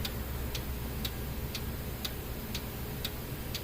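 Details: 2015 Kia Sorento 2.4 with code P0011 (cam timing over-advanced, bank 1), running after the cam oil control valve was replaced; crisp, evenly spaced clicks about twice a second over a quiet hum. The valve is switching consistently.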